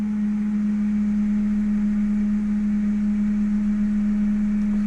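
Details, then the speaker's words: Ford Mustang (around 2000–2002) with the 4.6 engine at a quiet idle: a loud, steady, fixed-pitch hum like a trumpet or horn from the air filter duct. Tapping changes the noise. It is an intake drone from a dirty idle air control valve. "como un zumbido de trompeta o de cuerno de no sé de rinoceronte no sé pero soy medio raro"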